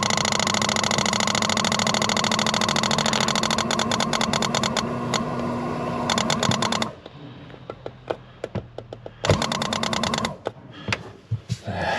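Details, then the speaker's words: Bailey motorhome water pump after priming, on leisure battery: buzzes steadily about seven seconds without cutting out, then stops amid clicks and handling; keeps running on, pressure switch thought to need adjusting. "The pressure switch wants just adjusting. Now, if you can see just down there, it's probably just wants adjusting."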